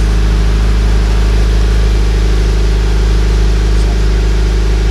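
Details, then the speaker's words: Subaru BRZ petrol boxer after fitting a Nameless Performance overpipe and front pipe with a Zeta catback and fixing an exhaust leak: warm-up idle slightly raised, smooth and even, no ticking. "so this is the warm-up sound so the engine's revving a little higher than normal to do the warm up and you guys will hear it kind of calm down and then maybe I'll flip it a couple times"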